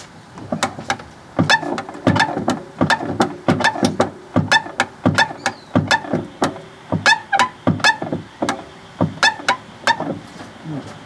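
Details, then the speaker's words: Fiat 500 1.2 clutch: sharp squeaks in quick bursts with each pedal pump, persisting after WD-40 on the pivot and greasing; traced by hand to the clutch slave cylinder on top of the gearbox, owner plans to replace it. "I figured out the squeak if I put my hand on that I'm figured out I think it's this the slave cylinder so and I believe I've got one of these so I'm going to repla"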